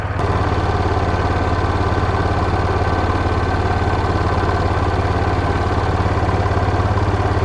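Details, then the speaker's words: Yamaha Rhino side-by-side with rare 1942 Jeep GPW flat-fender kit, warmed up with cooling fan cycling: even putter about three and a half beats per second with steady low thump; running good, idle a touch high, could be adjusted down. "She's running good. Probably adjust the idle down just a little bit though."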